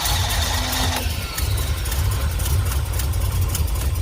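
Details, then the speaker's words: 1963 Ford F100 Y-block V8, first start after installing a new Holley 2300 carburetor, with Patriot headers and Cherry Bomb mufflers, radiator not yet fitted: deep, even burble settling into a smooth steady idle, no misfires; normal idle. "alright guys you heard it here first the thing sounds amazing purrs like a kitten and it sounds so good through those Patriot headers in the cherry bombs"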